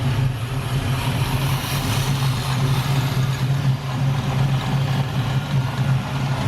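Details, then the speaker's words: LS-swapped Camaro's freshly installed V8 at first start, idling smoothly with a deep, steady burble and no stumbles; the exhaust rattles. "it sounds good the exhaust is rattling right there we're finished welding it but it sounds good dude and it idles"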